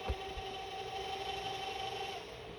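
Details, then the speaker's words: Ultimate 3000 autosampler powered up after repair; it previously power-cycled and threw motor errors during self-test. A couple of soft clunks, then an even, steady motor whine with no grinding or stalling. Normal self-test motor operation. "it's not power cycling and see if it makes it through a self test so we're just waiting for it to do all these and then that red light there should turn green if all goes"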